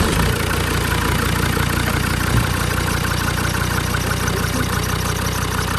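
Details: Land Rover TD5 diesel idling while the fan is refitted after a viscous fan bearing replacement: steady, even diesel clatter with a smooth low rumble and no knocks or rattles; normal idle.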